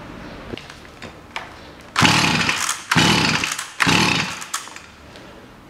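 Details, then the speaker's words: Stihl FS 55 two-stroke trimmer that wouldn't start (flooded plug, fuel mix with too much oil); after adding clean petrol it starts and revs in short crisp clean bursts, warming up; normal running, cause was oil overdose. "все работает маленькой бы работала тепленькие стала пробую еще раз"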